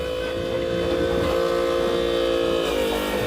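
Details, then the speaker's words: Volvo Penta D9 575hp marine diesel oil change pump refilling about half a gallon of fresh oil from a jug: even mid-pitched electric whine, shifting lower near the end as the jug empties; pump working normally. "and you listen to it and it starts to pump back in. And when you hear it change, it's empty."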